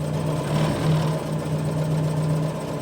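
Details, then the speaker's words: ST170-powered Mk1 Ford Escort idling in neutral with the clutch released: a faint steady squeal that gets louder with light clutch pressure and then disappears with more; owner suspects the slave cylinder rod is slightly short. "but if I lightly lean on the clutch it goes away uh if I you know if I come off it again so the noise is there if I slightly slightly slightly lean on it it gets a bit louder"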